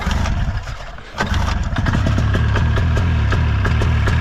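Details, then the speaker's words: Ski-Doo 377 two-stroke snowmobile, unused for years on old fuel: after a second of cranking it catches and settles into an even burble with both cylinders firing; normal two-stroke idle on both cylinders. "it runs on both nonetheless"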